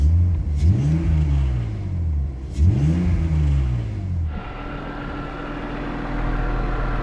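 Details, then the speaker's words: BMW E46 M54B30 donor engine, 179,000 miles, warming up on a warm day, 700 rpm idle, no warning lights: two quick blips rise cleanly and return to steady idle, running smooth; slight delay after pressing the accelerator noted. "But that is running beautifully smooth."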